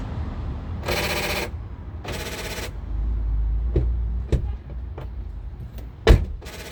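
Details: 2008 Honda CR-V front door after replacing the non-working lock actuator as a whole latch assembly: short sharp clunks in quick bursts as the locks cycle, each latch snapping cleanly with nothing dragging; normal door lock operation.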